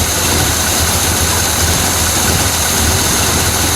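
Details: 1968 Chevy Malibu V8 with Quadrajet, after a flooding start and distributor advance limits restored with unmodified parts and 12 degrees base timing: steady low idle with an even rumble, no knocks or misses; healthy.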